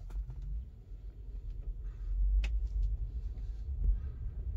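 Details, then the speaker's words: Tesla after cutting off a loose fabric/plastic piece under the car that caused a rubbing noise at low and high speeds: only low road rumble and faint cabin sounds while driving. No rubbing; the noise is gone. "yep the noise is gone"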